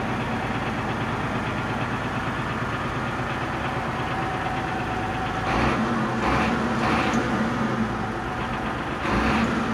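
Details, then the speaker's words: MTZ 1523 tractor, diesel, 3,346 engine hours, just started: even, steady idle with a smooth low beat, then a few brief revs that clean up nicely; runs smoothly, normal idle. "заводится трактор отличную работает ровно"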